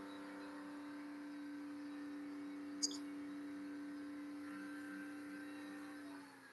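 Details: Porsche 997 after complete engine build, start-up run-in with oil tank slightly warm, held at about 4,000 rpm for 30 seconds: steady, even drone at constant pitch, no knocks or misses; healthy normal high-rpm run.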